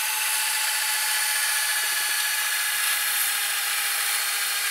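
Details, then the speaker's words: Panasonic PV-V4660-K VCR, owned since 2012, with a cassette carriage that doesn't seat fully; original drive belt replaced by a rubber band underneath. Rewinding: steady, even high-pitched whir with no slipping or labouring; drive pulls tape smoothly. "it is a rubber band that is under and there it does the job you see it working well"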